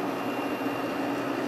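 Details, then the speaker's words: Kenmore 5,000 BTU window air conditioner just installed, running on low speed: smooth constant hum with soft fan tone, no rattles or surging; operating normally. "low speed. I'll let that run for a little while."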